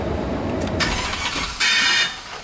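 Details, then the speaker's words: 2004 Chevy Silverado 2500 Crew Cab 4x4 at about 207,815 miles catches roughly with uneven hissing bursts, a nasty misfire on start-up; an exhaust manifold leak is also heard. "oh that did not sound good okay we had a nasty little misfire when it started"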